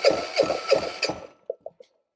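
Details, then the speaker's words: Free small electric-start diesel generator, 118 hours, long unused, cranked with compression release: starter spins it in even beats about three a second, then stops; turns over freely with good compression, no start yet. "okay definitely um turns over and has pretty good compression um so that's one thing it's got enough oil in it to start it"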